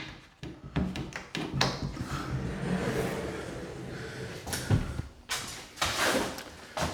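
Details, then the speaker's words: Prefinished white oak pocket door on hangers and track, after trimming wood to remove a rubbing noise; soft rolling rumble then firm clean thud at closing, only the rollers heard, no scraping. "Now I don't hear that noise anymore, except for the rollers doing their job. That's all I could ever hope for."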